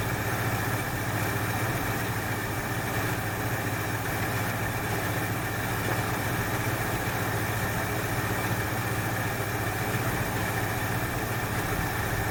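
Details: 1968 Ford Fairlane, flooding carb fixed: steady, even idle with a constant low rumble, no misses; sounds better after correcting a line that had been hooked up backwards; a plug or two suspected fouled from rich running.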